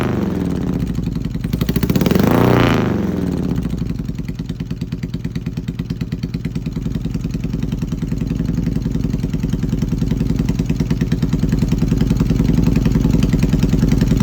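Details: Yamaha XS650 twin running an old Hitachi TCI: lumpy, uneven idle with irregular beats and a rev blip; pulses drop out unevenly from a misfire, ignition fault suspected.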